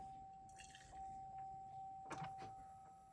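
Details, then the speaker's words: 2013 Chevrolet Silverado, key on without cranking: a steady, fairly high-pitched electric hum with a few handling clicks as the fuel pump primes; normal fuel pump priming. "essentially what I'm doing is getting the fuel pump to Prime and in the vehicle you can generally hear it's like this little humming sound"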